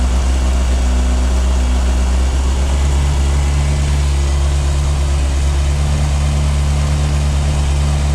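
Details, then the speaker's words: 1998 Yamaha YZF600R Thundercat four-cylinder first start after transmission repair, rear wheel off the ground: smooth, steady hum, no leaks, shifts through all gears; carburation still needs tuning. Normal running. "got all the gears that's good i'm gonna have to mess around the carburation a little bit to get it set up right but she sounds good awesome"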